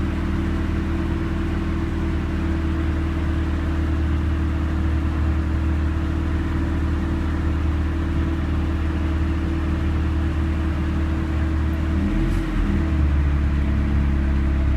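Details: 1991 Civic with Matsushita AC compressor, after a weak alternator-fed wire was connected directly to the battery (14 V): steady low engine hum with the compressor running smoothly and no rapid ticking; brief shift near the end; engine temps stay low.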